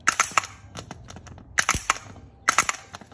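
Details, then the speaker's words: Bench test of a new starter with jumper wire and battery jumper cables, case grounded: clusters of crackling sparks and a solid clunk about every second as the solenoid throws out; sparking normal, starter good. "indicating that the solenoid is popping out so this starter is good"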